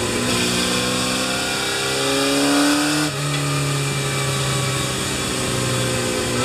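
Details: Kawasaki Z1 four-cylinder bored to 950cc with stock cams and a CR-M29 carburetor, being tuned after engine overhaul (89 ps measured): revs smoothly up and settles back, steady rising tone, clean pickup, no knocks or misses.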